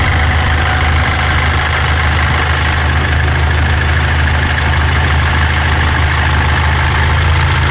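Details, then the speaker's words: 2014 Mitsubishi L200 Triton 3.2 diesel, 254,000 km, idling: deep idle with loose, uneven clatter about two per second that comes and goes, worse when engine warm; worn timing chain, timing chain kit replaced. "isso aqui é o barulho da corrente comando Ó tem hora que para tem hora que faz a gente vai trocar aqui o kit Corrente Comando dela"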